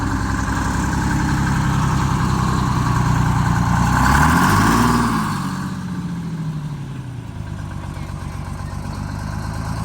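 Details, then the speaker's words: Bus diesel engine after rebuild and fuel-problem fix, hill climb test. Deep steady drone swells smoothly as revs rise and settles back, pulling evenly with plenty of power, no knocks or misses; normal running. "Plenty of power, right? Oh yeah. Oh yeah."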